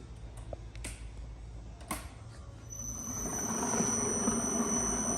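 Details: Innovatech 18-inch concrete floor grinder polisher, 230V 3HP WEG motor, running unloaded before lowering onto concrete: a few clicks, then spins up to a steady high whine and even hum, no grinding or rattle; healthy motor.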